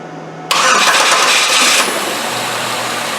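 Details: Engine restarted after fuel injector balance test and disconnecting the tester: short crank catches at once, brief rev flare, then smooth even idle; normal start and idle.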